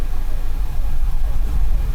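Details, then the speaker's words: 2008 Kia Rondo 2.7L V6 VVT, suspected jumped timing belt, injector 2 disabled via scan tool: deep, uneven lumpy rumble with lopsided beat at idle, lumping real heavy as that cylinder misfires, unlike injector 1 which showed no change. "And it just starts lumping real heavy."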